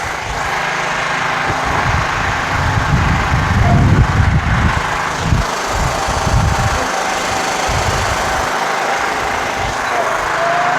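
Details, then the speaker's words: Scotts/Murray 1542 lawn tractor, Kohler Command 15 engine after carburetor cleaning, at lowest idle on first start; deep steady single-cylinder thump, no surging, misses or knocks, runs great. "Listen to it idle. This is at the very lowest idle. Doesn't surge, runs great."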